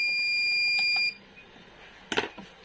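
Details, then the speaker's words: V-Guard Big Jadoo 1050 inverter hums, then goes into overload: one steady shrill beep of about a second, then a faint click. Gate voltage comes and goes, so the gate driver IC is faulty and is being replaced. "तो gate में problem सबसे पहले हम लोग इसका जो gate आसी है उसको बदल लेते हैं"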